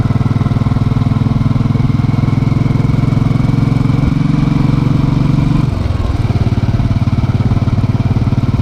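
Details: Hot motorcycle idle after a short ride, with the engine replaced (including starter, internals, throttle body and fuel injector): a smooth, even idle with a brief throttle dip, no knocking or valve clatter; healthy.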